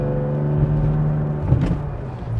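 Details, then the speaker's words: 1995 Mercedes E320 W124 wagon automatic, driving after tightening the accelerator Bowden cable: engine drone climbs with no drop in revs and no upshift; owner suspects he adjusted the cable too tight. "we didn't get a shift I may have done that a little too tight"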